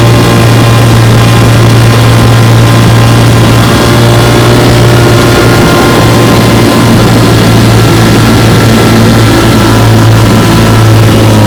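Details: Restored 1958 Johnson 3 HP JW14 outboard (restore number 90), fully rebuilt: magneto, lower unit, gear case. Warm start, pushing a boat about five miles an hour. Steady, even two-stroke drone with no misses or surging under load: normal running.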